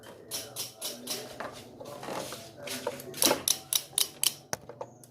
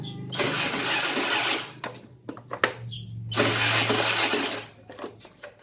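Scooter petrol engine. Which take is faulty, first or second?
first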